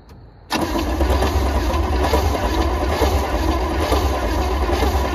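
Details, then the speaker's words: 1976 GMC K15 with 350 small-block, HEI ignition and 55,000 miles, parked 38 years: steady fast cranking about three beats a second with no catch or firing pulses; turns over but won't fire, sounds odd, cause not confirmed. "does that not sound like it's firing? Does it not sound like it's firing to you guys? Sounds funny, yeah."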